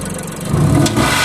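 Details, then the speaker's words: 2006 Mazda 6 V6 with P0300 multiple-cylinder misfire and very low vacuum: engine strains and runs rough and noisy when revved, then a sharp bang, indicating restricted exhaust from clogged catalytic converters. "What that's telling me is the exhaust is closed. One of the converters, multiple converters."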